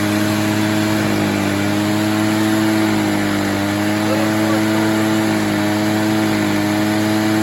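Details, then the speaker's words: Echo PB403T backpack blower, about 25 years old, after new air filter for no-start; steady high-speed two-stroke drone with slightly uneven burbling edge, four-stroking from a rich mixture, fuel then leaned slightly. "she was four stroking a little bit so I gave it a little less fuel let's see if she stays not for [Music] [Music] stroke"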